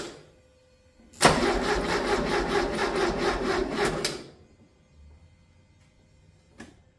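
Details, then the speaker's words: 1982 Porsche 924 turbo, freshly rebuilt engine, first start attempt with fresh fuel. About three seconds of even starter cranking, roughly three beats a second, no catch: coil wires are off so it won't fire, and no oil pressure showed (sender wire found off). "okay I did not see oil pressure come up coal wires off so it's not going to fire"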